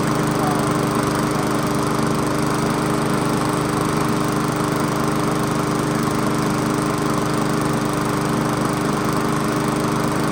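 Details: Old 22-inch Weedeater walk-behind mower after seasonal tune-up and blade refit, brief run burning off spilled oil: steady, even single-cylinder buzz at constant speed, no misses or surging; sounds good.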